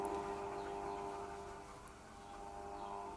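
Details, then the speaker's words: Mains fan run at reduced speed through a cheap triac speed controller: steady harsh electrical buzz as the triac chops the supply into square waves, disappearing at full power when the triac is out of circuit. "you can hear the buzzing which is the triac basically sending out square waves into the power supply and it makes that noise up until the time when it's on full"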